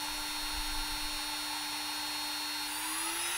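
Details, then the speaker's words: Air-cooled 1.5 kW CNC spindle driven by a VFD (24,000 rpm max), stepped through speeds of about 6,000–18,000 rpm: a clean, steady high whine near 300 Hz climbing slightly at the end, no rattle, a bit louder than a water-cooled one; normal running. "this version is the air-cooled one so okay it's make a little noise more than the water bullet but by far I'm very pleased with the results that it's given me"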